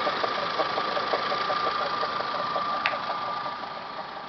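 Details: Toyota Camry 5S-FE petrol engine idling, timing belt job done Feb 2011; steady high whine with a light tick about three a second from the timing belt/water pump area. Abnormal whine and ticking at idle.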